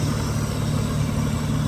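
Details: Mitsubishi V6 with a distributor: a smooth, even idle with a steady low rumble and no ticks, misses or knocks. Idle is pretty good and healthy.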